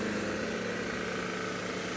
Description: The Deebot X2 Omni robotic vacuum cleaner generates an unusually loud noise during operation. This noise specifically occurs when the main brush motor is running.